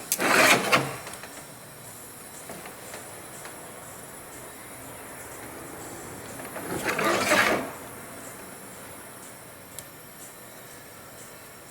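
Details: 2024 Chevrolet Trax 1.2 turbo losing coolant with no external leak, white smoke and cold-start misfire, cooling system pressurized, at cylinder 3 spark plug hole: two short hissing whooshes, antifreeze smell; coolant leaking into cylinder.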